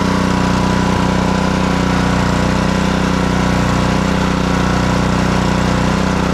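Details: Black Max pressure washer with Honda GCV160 engine, after crank-no-start repair and throttle adjustment: steady, even hum at constant speed with no misses, surging or hunting; running properly.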